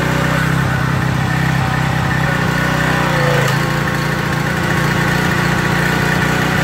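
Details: Craftsman 2700 PSI pressure washer with Briggs & Stratton 275cc OHV on a water test: a steady run whose pitch drags down midway. The faulty pump unloader loads the engine down; the jet possibly went a little too far, so the unloader is to be pulled and cleaned.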